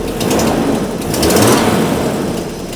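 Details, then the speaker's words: 1980s Jaguar original engine, last run before swap: uneven lumpy running with sharp rhythmic puffs and chuffs; owner suspects part of the head gasket blowing externally on the side, not an exhaust leak. "happy I think we actually have part of the head gasket blowing out on the side I don't think that's an exhaust leag I think that's has a head gasket Le an external"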